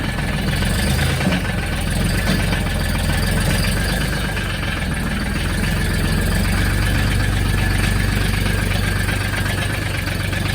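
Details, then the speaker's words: Mahindra Max 26 diesel tractor, cold after sitting, 10-second glow plug, previous crank-no-start issue fixed: fires right away and settles into a steady, even idle clatter without stumbling or misfire. "There you go. Fired up right away. Light went out. We're good to go."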